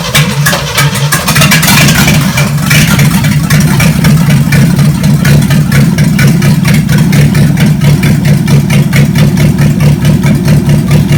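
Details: Chevy 283 V8 from Facebook Marketplace, first run on the shop floor: strong, even beat with clean throttle blips and a steady return to idle, no misses; normal running and revving.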